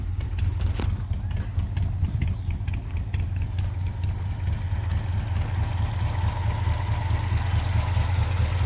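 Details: 1971 Chevrolet C10 with worn 307 V8, stretched timing chain, low compression, worn throttle shaft bushings causing a big vacuum leak: deep loud lumpy idle stumbling unevenly through a leaking exhaust; misfiring.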